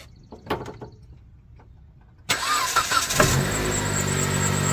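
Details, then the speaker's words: 2008 Jeep Patriot with no-crank, no-start from relay wiring; red/yellow wire dead with key on, jumped with a wire: a few clicks, then starter catches and engine fires into a steady even idle; normal start. "And I jump these two wires, we get power everywhere, and we can start it."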